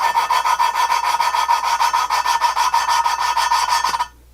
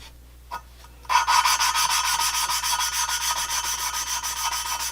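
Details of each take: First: GM 823 head (LS3/L92 6.2 aluminum) valve lapping with even moderate pressure: dry rasping scrub about three strokes a second as compound grinds new valve against seat, listening for sound change; valve lapping grinding sound. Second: GM 823 head (LS3/L92 6.2 aluminum) valve lapping with compound on new valve: dry rasping strokes in bursts, grit rubbing evenly without catch or chatter, sound changes as seat mates; valve seat lapped in.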